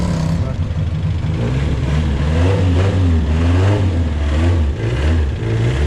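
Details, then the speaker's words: 1974 Fiat 125p pulling away: rough, uneven low puffing under the exhaust note, about ninety pulses a minute; exhaust leak traced to a hole in the middle silencer. "Dobra, maszyna wyjechała i to co słyszycie to oczywiście wydech jest gdzieś tutaj przepuszczający, ale gdzieś przy końcu [Muzyka] przepuszcza po nałączeniu."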